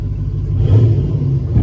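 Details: Caravan van with 6.0 LS V8 and 4L80E transmission, new tune loaded, in parking lot: deep, smooth rumble swelling under a quick throttle blip, no knocks or misses; sounds healthy, revving freely.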